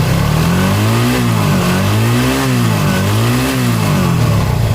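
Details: TVS Apache RTR 180 carbureted single, after a carburettor diaphragm change to cure misfire, low pickup and poor mileage, revs cleanly up and down in smooth, even swells with no stumble or popping; it picks up and runs healthy.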